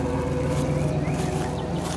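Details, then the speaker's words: 1997 Ford Explorer Limited V8 2WD salvage rebuild: steady, even low rumble at idle with no knocks or misses. The V8 lopes along smoothly with a nice little rumble and sounds healthy. "Everything looks good. It's got a nice little rumble"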